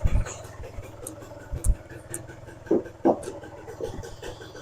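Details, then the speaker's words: Suzuki LT80 quad's 80cc two-stroke petrol engine, first run after the fuel filter was swapped and still cold: a small two-stroke putters at a low, fairly even idle with a few blips; normal idle. "so Le do his happy dance we now have a running lc80 qu bike it's fantastic it's brilliant"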